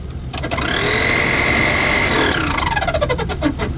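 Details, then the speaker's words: 1988 Chevy G20 van AC blower motor makes a chirping, bird-like squeal that rises with the fan and falls as it winds down; owner suspects leaves in the blower or a motor about to fail. "that's weird wow wow i wonder if leaves are stuck in the blower that sounds like a bird the motor is probably getting ready to go"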